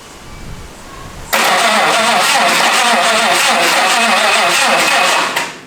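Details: Australian AS110 Coupe Ute on Triton chassis with 400 big block, open exhaust, first start attempt: about four seconds of rhythmic starter churning, engine never catches; crank, no start.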